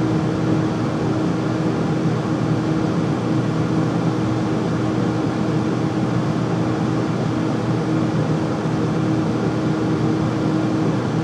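Constant loud roar with a steady low hum riding on it, no change over time; furnace is running noisily, cause unclear.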